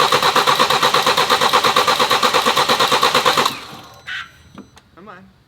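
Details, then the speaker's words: BMW with replacement junkyard engine and new timing chain kit, first start after two years: even starter cranking about three compression beats a second for 3.5 seconds, never catching; fuel present, no codes, apparently no spark. "I spent the last hour or so trying to get this thing to fire I believe it's just not getting spark for some reason I'm not really sure why it's not throwing any codes"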